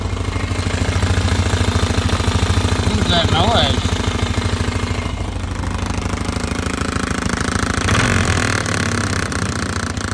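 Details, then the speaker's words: 2005 Polaris Sportsman 500 H.O. ATV running: heavy rhythmic rattling thump and terrible vibration from the engine area, also won't go forward or reverse; cause found to be a shredded CVT drive belt jammed in the pulley. "here we have the Polaris sports group 500 HO making a terrible vibration and a rattle"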